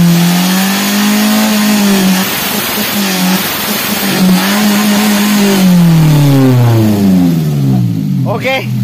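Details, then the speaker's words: Daihatsu Gran Max held at high revs: rises and sags unevenly with strained, choked exhaust note; clogged catalytic converter caused by poor fuel quality, runs on Pertalite daily. "Jadi, itulah tanda-tanda katalis, katalis atau konverter katalitik tersumbat karena kualitas bahan bakar yang buruk ."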